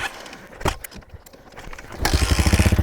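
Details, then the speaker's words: Hawk DLX 250cc single-cylinder enduro motorcycle, no choke, sat for months, dead battery, kickstarted cold: a couple of hard kick thumps, then it fires and settles into an even, rapid thumping idle; normal cold start. "Oh, I did it. So it's possible. There we go. So the Kickstarter does work. It just is a little bit hard."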